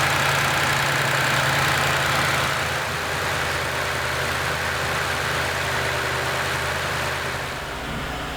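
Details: 2nd-gen Toyota Tundra, first start after installing a Magnuson supercharger: a steady, even V8 idle with a smooth, rising rev and no knocks or rattles. The engine sounds healthy.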